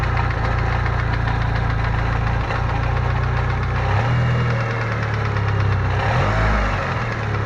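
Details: Uneven metallic rattle and knock over a lumpy idle that shifts with revs; owner first suspected rod bearings, but the Fidanza flywheel starter ring was found loose.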